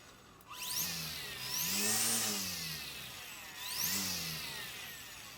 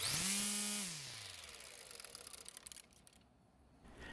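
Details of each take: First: Greenworks battery electric string trimmer; high-pitched whine swooping up and down with each throttle squeeze, no grinding or rattle; normal electric trimmer motor whine. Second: Greenworks battery electric trimmer fitted with a universal trimmer head, coasting down: the motor whine fades with rapid slapping ticks slowing in step. The line seems too long and hits the plastic guard, sitting out of plane with the cutter.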